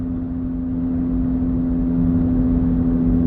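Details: Older car coasting in neutral with engine shut off at speed: steady mid-pitched whirring persists over road rumble, so it is a speed-dependent rolling noise, possibly a bearing; speed-dependent whirring noise.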